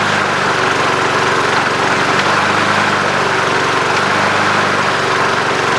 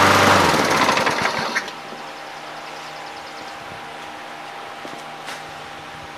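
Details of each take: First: Junk single-cylinder mower with non-working electric start, started after oil was added following time on its side. It runs on at a steady, smooth idle and won't shut off; the stop mechanism under the cover is suspected. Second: Junk single-cylinder mower after the handle-actuated stop mechanism was taken apart and reassembled. It fires with a loud, busy buzz for a second or two, then dies cleanly when the handle is released: normal run and shutdown.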